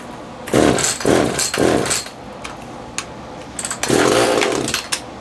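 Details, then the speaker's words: Echo CS-330T top-handle two-stroke chainsaw, unused for years, hard to start and running rough: revs surge in short uneven bursts and sag at high speed, sounding fuel-starved; high-speed adjustment suspected, carb kit planned, fuel pump diaphragm suspected hardened. "turn that high speed adjustment out a little sounds like it's starving at a high speed probably needs a carb"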